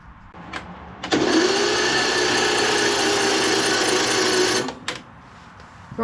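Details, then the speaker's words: 2006 Craftsman LT3000 tractor engine, spark plug out after suspected gasoline hydrolock; starter whirs about 3.5 seconds turning sluggishly without firing; slow weak cranking, owner suspects a very dead battery or bad connections. "well at least it cranks over now know not uh not very well so got to check on some of these connections down here but that spun pretty slow could be that this battery is just really dead"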